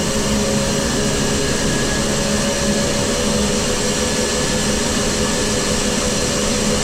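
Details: Grain dryer running again after troubles during corn harvest, fired up with heat on: steady, even roar of the fan with the burner's rush over it, no knocks or wavering; healthy normal running.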